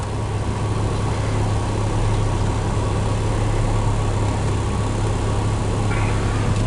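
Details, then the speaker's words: 2.4L Toyota Tacoma after P0401 EGR flow insufficient fix by cleaning the EGR port: smooth, steady idle that used to shake badly, with only a slight lift as the AC compressor kicks in; normal idle. "Also, when I turn the AC on, it would rev up really loud, so hang on. Just had that little jump up. That's all you want to hear."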